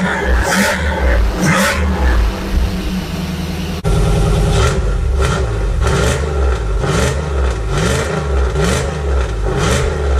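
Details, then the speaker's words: 1991 Camaro fuel-injected V8, first start after a year and a half rebuilding after an accident: fires straight up, even idle, smooth free revs with no knocks or misses, firing on all eight, healthy. "uh engine sounds healthy which I didn't expect it not to uh it's firing on all eight"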